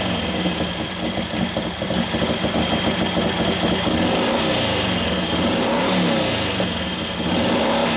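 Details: 1941 Harley-Davidson WLD 45 flathead V-twin, 56ci stroker build: uneven loping idle, then hesitant revving before picking up; engine dies a couple clicks after idle speed rises. Lean main jet starving it, main jet turned out.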